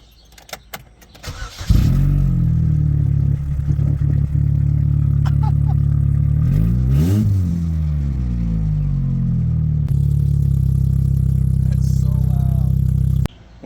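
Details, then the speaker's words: Chevrolet HHR with the old cat-back exhaust cut off, before the new Walker stainless system is fitted: loud, raw, booming low rumble at idle that swells sharply when revved, with no muffling at all. "You know I gotta figure out, I gotta find out what this sounds like without an exhaust. Guaranteed this is gonna sound so bad."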